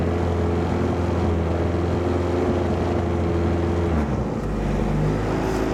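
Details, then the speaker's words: Car after TPS replacement, intake air temperature sensor unplugged, engine still a bit cold: idle hum sags and shifts pitch, revs hunting; owner suspects coldness, cause unconfirmed, check engine light on. "it's going up and down like that because it's still a bit cold."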